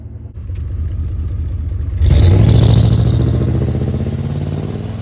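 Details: 1992 Buick Roadmaster V8 with no catalytic converters idles with an even, deep burble, then blips the throttle cleanly, with no misfire.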